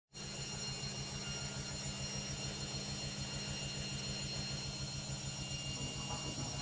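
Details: Logik washing machine on spin: a loud steady roar with rough, uneven throbbing throughout, far noisier than a healthy drum should be. A noisy spin.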